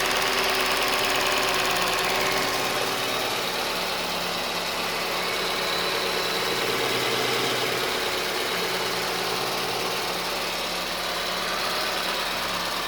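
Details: Newly rebuilt small car, first running after wiring and parts fitted: light, even ticking about three per second over a steady idle as the injectors meter fuel to each cylinder. Normal injector ticking.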